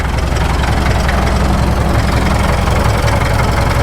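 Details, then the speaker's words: 1951 Caterpillar D2 crawler diesel, first start after checkover, fuel pressure low (suspect filters, transfer pump check or gear clearance): deep even chug at steady low idle, no stumbling or knocking, no smoke; healthy idle. "Listen to that. That sounds pretty good. No smoke."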